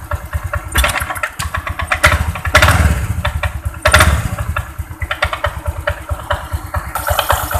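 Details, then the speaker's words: Honda Vario 125 scooter at low idle, throttle closed: uneven rapid clacking from the front of the CVT, caused by worn loose roller cover rubbers; noise stops when throttle is opened. "Ini ini pada saat jas tidak saya tarik bunyi Cecak Ya teman-teman ini di bagian sini depan nanti kita bongkar di bagian cv-nya"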